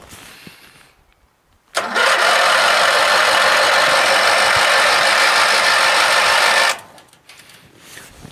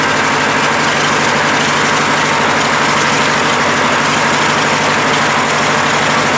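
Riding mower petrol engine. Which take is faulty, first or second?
first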